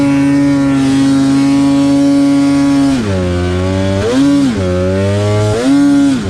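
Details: Polaris snowmobile with suspected bad injectors or injector harness: high steady two-stroke drone, then revs sag, bog and surge unevenly as throttle is worked; misfire, cause suspected, not confirmed.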